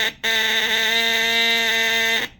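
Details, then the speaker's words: 1958 (owner thinks) Lionel 2383 Santa Fe F3AA horn, bench-tested by bridging contacts after tightening the pitch adjustment screw on the back: a single steady, clean buzzing note of about two seconds. The horn works, sounding like an attempt at a diesel horn. "it sounds like a diesel horn-ish. Sounds like an attempt to make a diesel horn."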